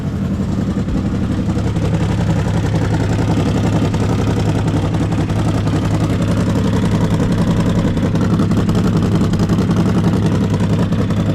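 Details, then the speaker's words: CFMOTO Z-Force 800 side-by-side brought back to life after fixing a loose starter cable: steady low idle with slightly uneven loping beat and some clatter; idling a bit rough, possible exhaust leak suspected. "kind of idling a little rough, but that's to be expected."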